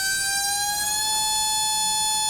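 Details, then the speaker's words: RC brushless motor with a big rotor, spun up on a SKYRC motor analyzer at half throttle, drawing about seven amps with RPM down due to the rotor; clean, steady, very smooth high whine, no roughness; normal motor run, likely to be turned down. "hey sounds actually quite nice it's very smooth doesn't it"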